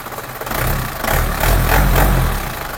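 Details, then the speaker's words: Isuzu Panther diesel just started and still cold, at idle after repair of RPM rising and dropping on its own; low, steady clatter with only mild speed swells, settles evenly without shaking. Idle now smooth, no longer hunting like before. "bisa dilihat untuk kondisi stasionernya ini mobil baru hidup ya teman-teman jadi Masih dingin kondisinya Alhamdulillah untuk stasioner udah enak udah gak ginjal ginjal seperti kemarin kondisinya gitu"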